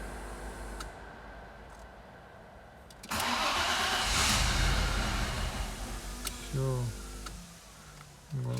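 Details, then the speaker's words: 1998 Audi A6 C5 with code P1570, won't start. The starter cranks and the engine catches briefly with a rough burst, then dies at once. Immobilizer cut-off suspected. "подпишу схватывает глохнет ещё попытка"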